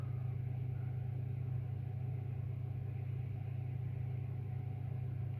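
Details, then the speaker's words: AEG 49106IU-MN oven after top grill element replacement, warming up: steady low even hum with no rattle or scrape as the fan kicks in; fan running normally. "there you go the Fan's just kicking in now obviously has to warm"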